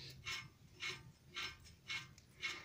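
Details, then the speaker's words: 2003 BMW MINI R50 front wheel bearing, driveshaft removed, hub turned by hand: dry rasping grind in five bursts about two a second; badly worn bearing, long noisy when driving, due for replacement. "Donc ça, quand vous roulez, vous entendez. Je fais bien hein, le bruit du roulement tout pourri."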